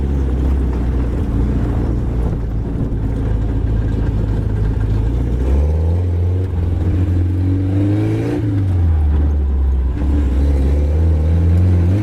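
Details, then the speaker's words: 1980s Suzuki SJ (Jimny) off-roader with solid axles, driving under load: smooth, even drone with no missing beats. Idle is poor, but it is running on all four cylinders. "all right well essentially rain pretty well it's not widely in the Beast but who needs Idol anyway it seems to be running on all four"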